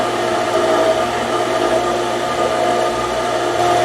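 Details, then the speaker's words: Outdoor garden water pump drawing from the lake through a foot valve, after replacing the pressure switch and wall hydrant: steady even whooshing motor hum with no load change, pump running but not making pressure, not yet primed. "so we're trying to run the water and the pump's not making any pressure"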